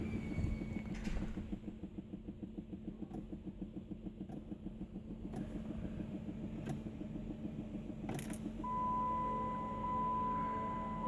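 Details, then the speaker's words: 2007 Chrysler 300C after replacing the broken pink shift-lock part: turning the key gives fast, even clicking from the rear with a low hum and no cranking; weak battery, and a new battery made it start immediately. "I hear it clicking in the back. I don't know if you can hear that's like click click click click click click click click"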